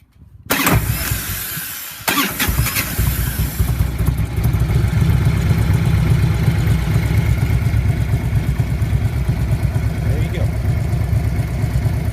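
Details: 1994 Harley-Davidson Electra Glide Ultra Classic Evolution engine with hot no-start problem, started via added remote starter button at solenoid: starter spins briefly, V-twin catches at once into even, lumpy idle; healthy hot start.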